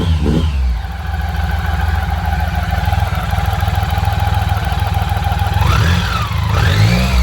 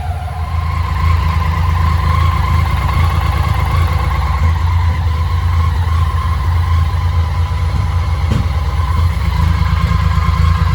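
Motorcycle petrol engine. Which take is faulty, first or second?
second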